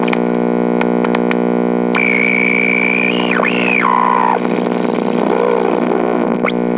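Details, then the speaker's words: GE H 500/H 500U AM tube radio just plugged in and switched on. A loud, steady low hum with a buzzy edge sits under the whistling stations as the dial turns. Bad filter capacitors suspected. "So wow, holy crap, have I actually run into one of these radios that had bad filter capacitors? I think so. This is probably almost the first time."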